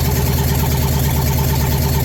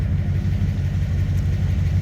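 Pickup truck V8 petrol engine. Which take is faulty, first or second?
first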